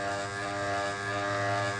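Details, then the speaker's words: Motor switched on for bush/shaft check: capacitor, starting and running work, but it turns slower than it should; steady low hum with stacked even tones, no speed build-up; sluggish, worn bushes suspected. "तो यहाँ पे दोस्तों इस motor के अंदर मतलब problem ये है कि के अंदर मतलब चक्कर तो ये बना रही है, यानी कैपेसिटर वगैरह, स्टार्टिंग वगैरह, रनिंग वगैरह सब कुछ इसका बढ़िया से काम कर रहा है, पर ये मोटर जैसे स्पीड से चलनी चाहिए"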